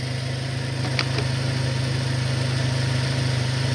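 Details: 2002 Saturn SL after repairs with all check engine codes addressed: smooth, regular idle with even low pulse and steady pitch, nothing knocking or missing; healthy idle.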